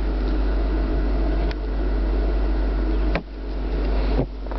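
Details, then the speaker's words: Gray 2003 Mitsubishi Galant with about 105,572 miles, just started. Steady airy blower rush over a low engine hum, with a few handling bumps; the air conditioning works normally. "oh yeah air conditioner works"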